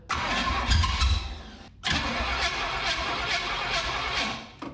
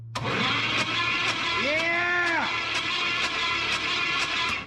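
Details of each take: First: 1967 Firebird abandoned about 15 years, fed fuel by squeeze bottle into the carburettor. It fires and revs about two seconds, then dies, catches and fades again. Fuel starvation or a poor air-fuel mixture is suspected. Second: 1967 Pontiac Firebird sitting about 15 years, after rebuilt flex plate cleared of jammed debris: even, free cranking about twice a second, no binding, oil pressure coming up. Normal cranking.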